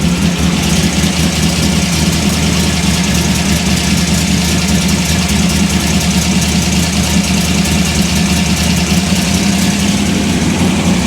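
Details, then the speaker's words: Chevy gasser engine at a steady, quick, even idle with no misses after ignition timing was advanced to 32°, which raised the idle speed; 38° planned next. "So, it's running fast. I put a bunch more timing in it. So, it's got 32° of timing in it."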